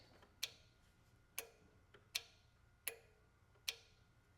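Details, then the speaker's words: John Deere X300 series lawn tractor with crank-no-start, engine off, key turned on: crisp single clicks of the fuel shut-off solenoid pulling its internal piston down; solenoid working. "When you turn the key on, it clicks. Not sure if you can hear that. That is actually pulling down a piston that's inside this fuel shut-off solenoid, and that may be also a failure point."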